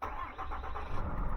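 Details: 6.7 Cummins turbo diesel, first start after fuel filter change and key-cycling to prime the housing: deep low rumble catches and settles quickly with no stumble or long crank; no leaks found.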